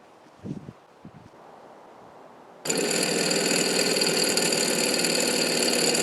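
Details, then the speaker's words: Water pump in a 1990 Fleetwood Bounder motorhome: silence, then harsh buzzing rattle pulsing about four times a second, sometimes grinder-like clicking; worn pump no longer pumping like before, about to fail, replaced with a new pump. "so yeah that pump is making some weird clicking noises that it shouldn't be making sometimes it's pretty bad that wasn't too bad but sometimes it's it sounds like a little grinder"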